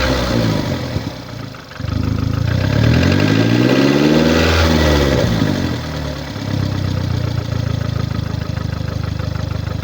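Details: VW Golf MK6 2009, 1.4 petrol (1390 cc, 90 kW/122 PS, engine code CAXA), 272,900 km: engine idles and briefly revs with an uneven, chuffing beat and rough low pulse, caused by a defective head gasket.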